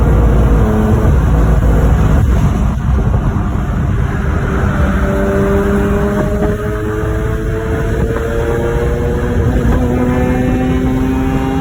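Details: Mazda RX-8 rotary under acceleration: hard pull with climbing tone, but the note stutters and breaks up unevenly between about 7,800 and 10,000 rpm; high-rpm misfire or hiccup, cause unknown.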